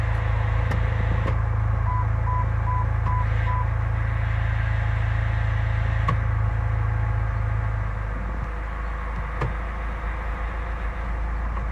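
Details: Chrysler Grand Voyager, 62TE automatic transmission, 51k miles: a low, steady whine over the engine rumble fades out after about eight seconds. Fixed by changing the filter and fluid; excess sealant is suspected to have clogged the filter.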